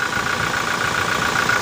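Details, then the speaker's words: Common-rail diesel engine during a quick check: steady idle with even clatter and light constant whine, no uneven knocks or hissing; normal idle. "kemudian di ada suara-suara aneh Iya ini suara normalnya dieselnya"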